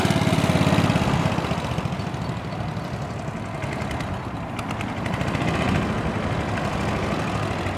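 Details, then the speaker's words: 1965 Cushman two-speed scooter, started cold on choke, ridden in low gear; single-cylinder thumping runs uneven and lumpy, then steadies as it warms; rough running, seller suspects it needs fresh fuel and warming up. "sounds like she's kind of smoothing out a little bit bike probably needs what I call an Italian tuneup that's some fresh Fuel and just get out there and get it warm"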